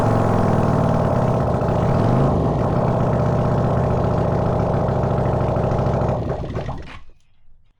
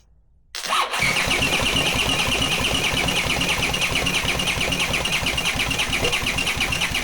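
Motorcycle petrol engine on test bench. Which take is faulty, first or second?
second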